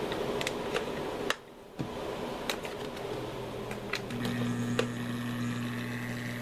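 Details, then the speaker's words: Cheap replacement laptop power adapter, with an ungrounded AC pin, puts a steady low buzz and faint ticking through the speakers that changes as a hand nears the chassis; poor shielding, wiring and design let the adapter's electrical noise leak in. "Now we have it with an ungrounded AC pin. Now listen what happens as I move my hand towards the chassis. So these things obviously have extremely poor shielding, bad wires, bad design, bad."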